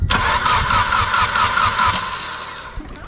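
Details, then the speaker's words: Engine cranked with fuel pump fuse pulled after losing all oil at 8,000 rpm; steady quick cranking, about two turns a second, even, no knocking or scraping; sounds healthy. "she's healthy as could be this goddamn fuel pump fuse in fire the [ __ ] up she is healthy"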